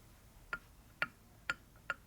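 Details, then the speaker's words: 1965 Harley-Davidson Panhead 74ci FLH engine rebuild: crisp metallic clicks about twice a second as the cam is slid back and forth by hand, showing clearance from a worn cam bushing. "next thing you want to do is find out the bushing the extra time of the bushings bad push to kick them straight down then you slide it back and forth"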